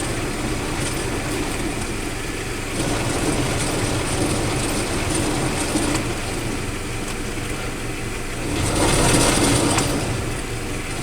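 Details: Toyota Tacoma: rough, rapid ratcheting clatter, about four clicks a second, in four-wheel drive, still present with the driveshaft and double cardan joint removed, so coming from the transfer case output end.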